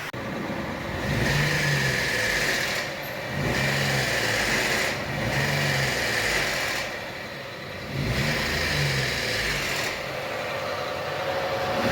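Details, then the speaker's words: Logan 2022 three-cylinder engine, 111,000 km, engine wrongly condemned; recurring rough pulsing every couple of seconds over a steady hum; variable valve timing knock from solenoid full of oil crust and sludge that doesn't actuate, fixed by replacing it. "Ó a solenoides tá essa aqui é a solenoides do Logan dele que eu troquei fiz a substituição tá vendo tá cheio de óleo cheio de crosta borra e ela não atua"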